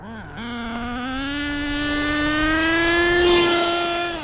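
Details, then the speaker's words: HPI Savage X4.6 nitro RC truck with optional 3-speed transmission at full throttle. Engine winds up smoothly with no rpm drop; owner thinks it's stuck in 3rd: not shifting. "no gear shifting. We're gearless, baby."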